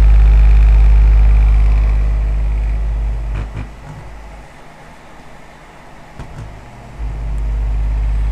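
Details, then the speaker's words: Trash-picked ceramic heater converted into a centrifugal fan, one blower slightly off balance: strong steady low hum at full speed, winds down smoothly and comes back up; normal running. "there's a little bit of off balance on one of the UM one of them blowers this thing it really throws some air I kid you not have a listen pretty impressive I think"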